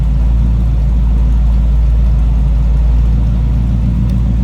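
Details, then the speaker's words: 1939 Oldsmobile Series 60 two-door sedan, chopped, with 350 V8 and Edelbrock carb, heard from the rear: deep, steady, even idle rumble swelling smoothly with light revs, no misses or knocks; healthy V8 exhaust note. "Slip around to the back so you can hear it run. Door closes nicely. Nothing over the top. Just a nice rumble coming out of that 350."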